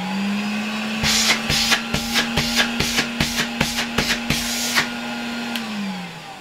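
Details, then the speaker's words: 1966 Alfa K2 vacuum cleaner with SK-5b motor after its bearings were oiled: steady, even motor hum, then a smooth run-down with no rattle from the suction unit, under music; it now runs properly and quieter. "Wydaje mi się, że dopiero teraz ten odkurzacz działa jak należy i dopiero teraz jestem z niego tak naprawdę zadowolony."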